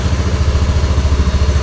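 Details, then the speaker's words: Scooter that was hard to start and kept stalling, after a possibly loose connection was rejoined: low, even thump at a steady idle with no dips or stalling; normal idle. "sini menyala Pak tuh tidak mati stasioner langsam"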